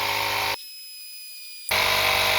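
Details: Lokithor JP400 jump starter's small piston air compressor inflating a tyre from 0 PSI toward 36 PSI: steady loud high-pitched buzz, brief cut-out then even running; normal under load, later shut off on overheating after about 8 minutes.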